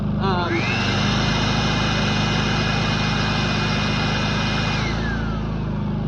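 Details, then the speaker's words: Predator 3500 inverter generator after oil, spark plug and air filter change, under about 5.5 amp load with steady voltage: smooth, even hum with a steady high inverter whine, no misses or knocks; normal running. "Unit's really, really good."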